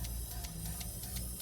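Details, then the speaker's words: LPG taxi engine that stalled while driving, fuel rail pressure dropping fast, injector leak suspected: cylinder 1 injector energised clicks lightly and regularly about six times a second with faint hiss; normal injector operation. "It makes a sound every time I put electricity in, right? There's a sound. This is normal"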